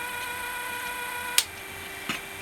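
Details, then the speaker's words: Technics RS-M230 early-1980s cassette deck: thin steady motor whine straining to turn the mode gear, then sharp solenoid clicks as it frees; cause sticky gummed-up grease. "the motor straining you can see it's just trying to move this gear there it goes"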